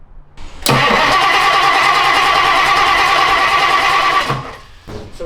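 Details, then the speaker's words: 1962 Ford Thunderbird V8 after sitting 16 years: starter spins evenly three to four beats a second for about four seconds, never catches; carburetor getting no fuel. "it's still not working. Okay, carburetor is not getting fuel. So, we need to figure out why that is."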